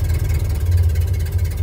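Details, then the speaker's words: 1930 Ford Model A after choke off and spark advanced: slow, low, even idle with soft steady chuff, no knocks or misses; standard idle. "okay so that's that's actually the idle that's standard idle right that's where you want to do that"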